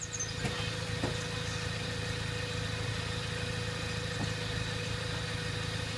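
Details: Nissan 300ZX after its jumped timing belt was reset, jump-started: engine idles with a steady low drone and a faint tick about once a second, no misses or clatter; whether valves are bent is unclear.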